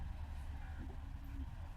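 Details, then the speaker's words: October 2013 petrol car idling; low, soft, even hum with no knocks or misses, so quiet you can hardly tell it is running, healthy engine. "ওই start আছে বুঝতেই পারবেন না বন্ধুরা যে স্টার্টে আছে কি আর না আছে"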